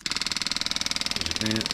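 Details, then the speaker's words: Budget motorcycle fuel pump, removed after misfiring like fuel starvation, bench-tested on a jump battery feeding back into the tank: fast, even high buzzing pulses around fifteen a second, stopping when the outlet is blocked; pump runs strongly, normal. "absolutely lovely pumping fuel that much higher volume for this five dollars the pressure switch works fine as you can hear as soon as I put my thumb over the end the pump stops release it starts pointing again"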